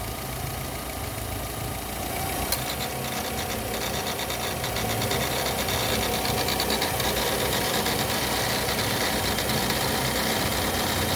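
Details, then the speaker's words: Fiat Uno Vivace Way idling, noise from alternator belt area: fast fairly even ticking chatter about three per second over hiss, nearly silent with AC off, worse with AC on; accessory belt noise with AC on. "agora o problema é mais quando eu ligo o ar condicionado tá vendo vai quando ligo o ar aqui tá com uma desligada agora quando ligo o ar condicionado aí a coisa piora olha"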